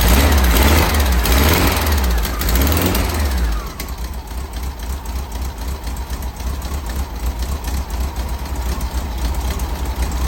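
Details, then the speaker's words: 1964 VW Beetle air-cooled flat-four, first run after 10 days of work, on a temporary electric fuel pump, static timed. Revs rise and fall, then settle into an even chuff of about four beats per second. Normal idle. "all right after 10 days we have it running here it sounds pretty darn good"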